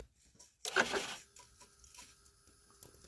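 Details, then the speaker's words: Chevy Avalanche with P0690 ECM power relay circuit high code: wiggling the wire brings sharp crackling burst then scattered faint snaps, a loose ground arcing at the connection. "a loose ground. Yeah. See the arc right there."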